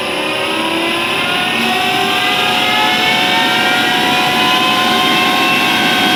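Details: Atlas Copco GX11FF compressor makes several steady high-pitched whining tones at start-up and while running, over a loud hissy run, climbing slightly as it settles; cause unknown.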